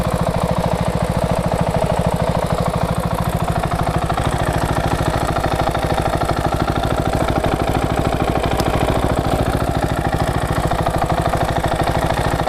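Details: KTM 690SM LC4 single, warm at idle, on Motorex oil (previously Amsoil 10-40): light, quick tick on each firing pulse at a steady rate, only when warm; owner suspects the cam chain tensioner, unconfirmed.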